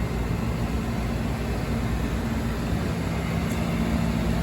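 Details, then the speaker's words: Hot water pressure washer burner: the motor turns the squirrel cage blower fan while the fuel pump recirculates diesel, and the burner is not lit because the pressure switch is open. A steady, even whir and faint motor hum with no ignition thump; blower runs normally. "what's happening is this motor is turning the squirrel cage fan is moving air and the fuel pump is recirculating diesel in a circle"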